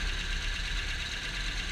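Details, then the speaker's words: 1974 Ford Courier, Mazda OHC 4-cylinder at idle before valve lash adjustment: light quick ticking rattle over a low rumble from the top, rocker arms clacking on the cam through too big a gap. Valve train clatter from excessive valve lash. "as you can hear there's quite a bit of noise coming from the top and that's the rocker arms clacking on the cam"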